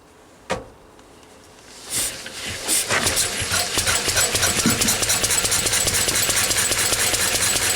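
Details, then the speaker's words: Lister D single-cylinder stationary engine, started after a few days unused: catches after a couple of cranks, settles to steady even knock about two a second; mixture set slightly richer; healthy. "that's not too shabby is it I give it a minute or two to warm up"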